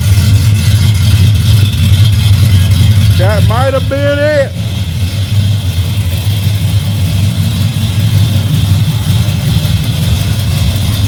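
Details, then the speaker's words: Holley carburetor engine after swapping out the bad carburetor, fuel pressure at 6 psi: steady, even idle with smooth low rumble, no stumbles or surging, good throttle response; normal idle. "I think that was it guys. That bum carburetor."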